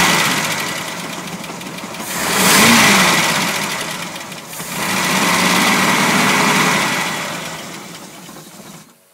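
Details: 1989 454 Magnum marine V8 with rectangular port heads runs with a fast, light ticking that quickens as it is revved twice; cause undiagnosed.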